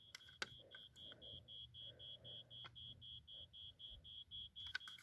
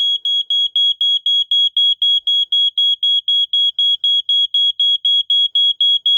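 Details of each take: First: 1987 Wake and Warn 2 smoke detector with rusted battery compartment, tested holding the battery and pressing test button: thin high beep pulsing about three times a second, very faint; corrosion likely weakening the sounder. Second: 1987 Wake and Warn 2 smoke detector set off with test spray: loud, shrill, perfectly even beeps about four a second that stay on for a while. This is the better-preserved of two units, and it sounds normally.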